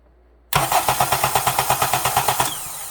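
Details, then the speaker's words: 2007 Honda Accord 2.4 DOHC four-cylinder in for slow cranking, after starter replacement and tested before the intake manifold was refitted: brisk, even cranking at about six beats a second. It cranks nice and fast. "cranks nice and fast now we're gonna measure the starter current again once it's all back together"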